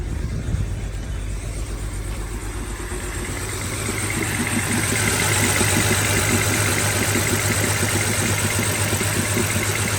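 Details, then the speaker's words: BMW 325i E90 with N52 engine, first start after replacing numerous parts for rough idle: uneven, lumpy idle with about three stumbles a second and shaky low rumble, worse than before; still misfiring, owner suspects crankcase ventilation system. "I mean, everything seems okay. I don't know why it sounds like that. I mean, it's worse than before."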